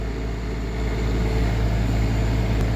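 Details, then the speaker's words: Repaired generator in a 2019 Allegro Red motorhome, front AC running on a near 100-degree day while charging batteries: even constant low hum, steady pitch, no surging or knocking; normal running under load. "ac is running now took a load we're doing good"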